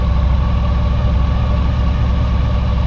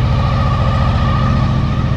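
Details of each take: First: 2000 Honda VFR 800 fuel-injected, restricted, first start after six months' storage on old fuel: deep idle with uneven stumbling beat; one cylinder dead, its exhaust pipe completely cold, caused by a coil connector that lost contact over winter. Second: 2000 Honda VFR800 fuel-injected V4, first start after six months' winter storage on old fuel, cold, after fixing a loose ignition coil contact that killed one cylinder: even quick low thumping, no misses; smooth idle on all cylinders.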